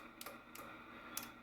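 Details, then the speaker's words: Icom 775DSP HF radio shortly after switch-on: four sharp light clicks at uneven intervals over quiet hiss, like a small relay; suspected attenuator or antenna tuner relay engaging after long disuse, not confirmed, since stopped. "it was either the attenuation trying to kick in or the antenna tuner which you can hear it a little relay engage when you click it as well"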